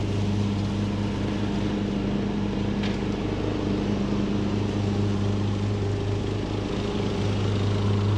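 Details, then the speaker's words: Craftsman LT2000 riding mower, almost 20 years old, after a new carburetor and new deck spindles, mulching with the blades engaged. It holds a steady low drone under load with no surging or knocking; running fantastic. "all right guys well this machine is running fantastic"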